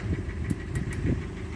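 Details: 2014 Hyundai ix35 with G4NA engine in for repair: uneven idle with a hollow, irregular low knock and a few sharp ticks; piston knock from scuffed cylinders, repaired by boring 0.5 oversize with Teikin pistons.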